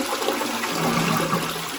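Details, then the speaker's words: Toilet cistern flushed after the water level was set: a full, forceful rush of water sustained throughout with no weak trickle or hiss. The compact flush parts give a strong, normal flush. "Nice big flush on that. Brilliant parts, by the way. These always give a really good flush and they're very compact."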